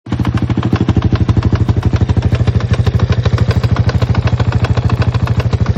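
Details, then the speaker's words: Single-cylinder engine at idle: hard, regular knocking about three per second persists after checking the centrifuge, overrunning clutch and intermediate gear and adjusting the valves; a piston pin or rocker arm fault is suspected, not confirmed. "Этот стук остался. Походу стучит где-то внутри. Либо палец, либо в коромыслах."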